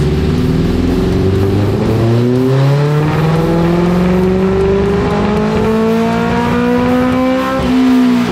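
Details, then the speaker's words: 1987 Suzuki GSX-R 1100 four-cylinder on the dyno, before re-jetting: pitch climbs smoothly under load; carburetors found running very rich, ridden like this for years after an exhaust change, fix is smaller jets. "was running rich the guy's been riding it for a couple years now running rich like this"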